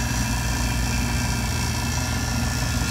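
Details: Three-door makeup table refrigeration unit on a service call, compressor just restarted with a wet coil and a hot box: steady, even low hum with a constant airy rush, no knocks or rattles; running normally as the box temperature drops.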